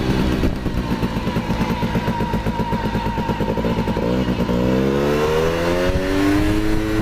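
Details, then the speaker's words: Honda Cub EZ90 two-stroke, a museum bike on display for years and barely ridden, now on a substitute battery, started right up. It pops evenly at idle, then climbs smoothly as it pulls away on a test ride, with no misfire or rattle. Normal running. "well that's the most i've ever ridden it but it really goes good"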